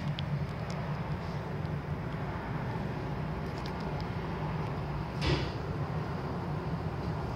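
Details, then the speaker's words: 2008 Toyota Camry after replacing both rear hub bearings (old ones made low dull rumbling): steady soft road rumble while cruising, no growl or hum rising with speed; new hubs smooth. "Brand new coming top, brand new, very smooth both sides, brand new hub, yeah."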